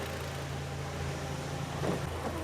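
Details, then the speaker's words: BMW 116i E87 N45 1.6L petrol idling after VANOS cam adjuster replacement, clutch engaged: low busy rattle from gearbox input shaft that disappears when the clutch is dipped; possibly linked to removed dual mass flywheel. "I can hear the noise of the gearbox input shaft, and they're always noisy on these."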